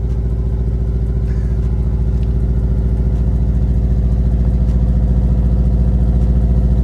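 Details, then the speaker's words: 2002 Subaru Impreza WRX (Bugeye), catless turbo-back exhaust, warming up after a cold start following repair of an intake leak and a loose turbo outlet hose clamp: deep, steady, loud idle with even pulse, no hiss or whistle; sounds normal, possibly fixed. "I was expecting it to be a lot louder with no cats back, turbo back. Oh, you're catless? Yeah. So many people hate this sound, and I just adore"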